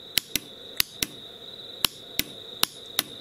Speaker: and you can hear the solenoid clicking closed so when I tap that on there there'll now be the battery voltage across these two copper Nails there